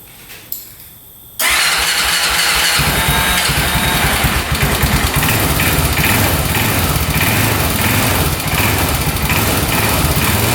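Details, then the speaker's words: 2004 Honda 400EX quad, sold as non-running, with new spark plug and brand-new carb, started on choke: cranks, catches and runs rough and uneven with a choppy beat, knocking and won't idle, no smoke; cause unconfirmed. "So far, no smoke, but it sounds like it's knocking pretty good, doesn't it? Doesn't sound the greatest. Um, and it's not idling or"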